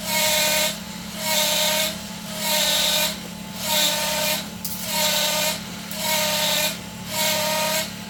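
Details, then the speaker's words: Kia Sorento 5-speed manual, engine running, on lift: hissing squeal with a whistle about fifty bursts a minute as the clutch pedal is touched and pumped. Slave cylinder suspected not releasing. Clutch noise, cause unconfirmed. "That's me pumping the clutch. Now I'm going to barely touch the clutch."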